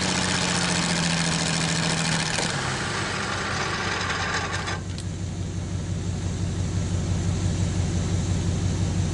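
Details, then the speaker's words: Old Worthington truck/tractor six-cylinder at first start in decades, now running on all six: a steady, slightly uneven idle with a light rattle from a bad water pump. "Not too bad, just like the 46 Dodge pickup truck, the water pump's bad on it. I can hear it rattling some."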